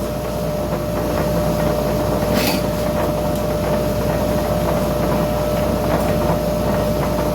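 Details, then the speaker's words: Ingco bench grinder that hummed loudly and would not start, tested after motor reassembly with the capacitor identified as the fault: it starts immediately and runs with a steady, even hum, no rattle or labouring. Normal running after repair. "yes you can see that it's running fine so guys problem solved carpet was the capacitor"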